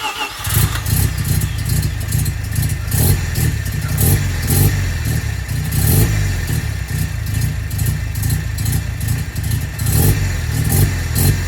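Choppy rotary idle pulses along evenly with no puffing or ticking from the downpipe; exhaust sounds sealed and healthy.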